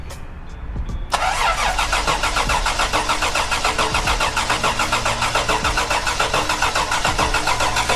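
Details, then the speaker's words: Toyota 4Runner first start attempt after build: steady cranking at about 3.5 turns per second, 9 volts on crank, never fires; old ignition coil later found giving no spark. Crank no start, failed ignition coil. "All right, so it's turning over. It has 9 volts on crank, and it's not firing."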